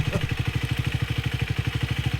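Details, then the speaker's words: Speed 400 at 12k odometer, idling: fast even beat with light metallic clatter from worn stock timing chain tensioner, spring inside suspected weak; to be replaced with longer tensioner and timing chain under free warranty. "Makikinig nyo yung tunog ng tensioner. Mahina naman siya na medyo malakas."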